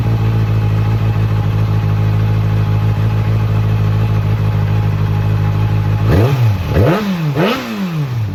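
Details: 2008 Kawasaki ZX6R after cleaning the fuel pump assembly (bike wouldn't go over certain rpm): steady even idle for six seconds, then three quick throttle blips rising and falling cleanly without stumbling.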